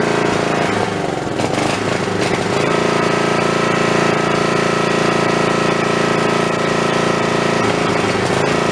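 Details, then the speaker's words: Snapper 3081 mower that died mid-mowing, running on the snowblower's spark plug: harsh, choppy single-cylinder clatter with misfires and backfires; owner suspects the coil/magneto unit is failing. "well that don't sound that good uh that sounds to me like that I took that spark plug out of my snowblower and it was running fine tonight last time I ran that so I'm gonna say that probably that coil is going bad that magnetron unit's bad has never ever misfired and backfired like that"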